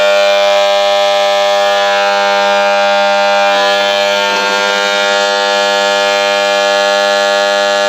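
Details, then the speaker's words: Borewell 3-phase motor starter panel. The contactor's magnet coil is obstructed by a lizard sitting there, so the contactor cannot seat. The result is a loud, steady, unchanging electrical buzz from the contactor coil. "ಕೇಳಿದ್ರಲ್ಲ friends ಯಾವ ರೀತಿ sound ಬರ್ತಾ ಇದೆ ಅಂದ್ಬಿಟ್ಟು ಸಿಕ್ಕಾಪಟ್ಟೆ sound ಬರ್ತಾ ಇದೆ ಏನ್ ಟ್ರಬಲ್ ಆಗಿದೆ ಅಂದ್ಬಿಟ್ಟು ಮೊದಲನೇ ಬಿಸಿ ಎಚ್ ಕಾಂಟ್ಯಾಕ್ಟ್ ಸೆಟ್ ಅಲ್ಲಿ ಹೋಗಿ ಮ್ಯಾಗ್ನೆಟ್ ಕಾಯಿಲ್ ಹತ್ರ ಏನಾದರೂ ಕುಂತ್ಕೊಂಡಿರುತ್ತೆ ನೋಡಿ ಇದರಲ್ಲಿ ಪಲ್ಲಿ ಹೋಗಿ ಕುಂತ್ಕೊಂಡಿದೆ"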